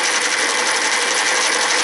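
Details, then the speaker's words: First-generation American Changer green-stripe coin hopper, recently rebuilt elsewhere, in for excessive noise and vibration, dispensing coins: harsh, gritty mechanical rasp with no smooth whir; fix was a gear change and regreasing. Grinding noise. "But do you see how rough it sounds?"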